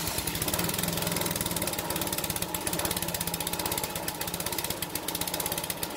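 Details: King O lawn edger, 2 hp horizontal-shaft single-cylinder engine after carb clean, rejetting, oil and air filter change, drill-started on choke: quick uneven popping beat with rattly top end; runs but mixture may need adjusting.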